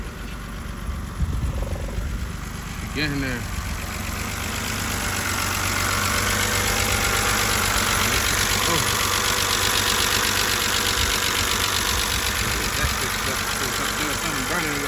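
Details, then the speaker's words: BMW 328i after battery replacement for a no-crank no-start, just catching: uneven, lumpy idle with faint irregular pulse, running rough; owner suspects the pretty old gas, old oil burning off, and that it needs a tune-up and spark plugs. "I mean the gas is pretty old too so that could be some of some of the problem too oh man running rough but get"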